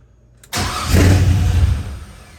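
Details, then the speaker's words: 1988 Chevrolet C30 with LS V8 swap, new 2.5-inch exhaust with headers: sharp pop as it fires, then rough surging rumble that fades; startup backfire, owner suspects computer wants VATS or O2 sensors, plans computer swap. "I just want to hear this thing run again. See what the exhaust sounds like. Got a backfire."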